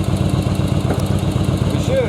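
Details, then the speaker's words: Yamaha Virago (2nd gen) V-twin idling steadily at about 1000 rpm after carb sync and air/fuel mixture adjustment, with even pulses and no popping or spitting on either cylinder; normal idle. "it's not popping or spitting or anything like that idle's good right at about a thousand rpm"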